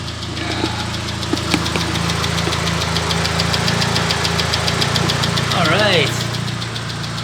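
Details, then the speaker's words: Proton Satria after the radiator was refilled, warmed to operating temperature: steady, even idle with fast light ticking and the radiator fan whooshing on; healthy normal idle, though a coolant leak at the throttle body remains. "let it reach operating temperature and if the fan comes on then we are all good ah yes and she's on"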